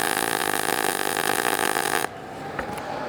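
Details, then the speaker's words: MIG short-circuit welding test, wire feed speed lowered from a 200 in/min (90 A) baseline: about two seconds of smooth hissing arc with little crackle; too little wire for the voltage, giving a smaller, cooler weld. "starting to sound like the one where we increase the voltage. There's that balance again. It's a smaller weld and it's a little cooler."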